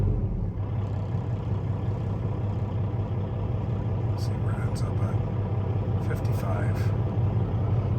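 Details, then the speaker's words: 2012 Peterbilt 386, Paccar MX13 diesel, 13-speed manual, 1.2 million miles, almost 26,000 hours, just started: deep, steady idle with an even low thrum, no knocking, rattles or hunting; good oil pressure, runs good. "It certainly sounds good. Hours, 25,000, almost 26,000, 1.2 million miles, getting up there, but it runs good."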